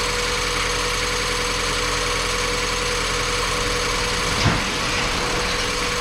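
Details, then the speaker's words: Mazda Miata after timing belt, valve seals, water pump, pulleys and serpentine belts replaced; brief run not yet hot, coolant still needing bleeding; even idle with one brief bump, no tapping or stumbling; normal idle. "youtube we can put it back together tomorrow this thing ran perfect it wasn't quite enough time for it to get hot"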